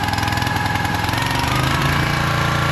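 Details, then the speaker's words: Pull-start small gasoline engine on a robotic minidumper, choke fully open after starting: quick, even putter with steady beat and no misses or knocks; idling cleanly. "All right, choke's fully open. It's running good. The engine sounds good."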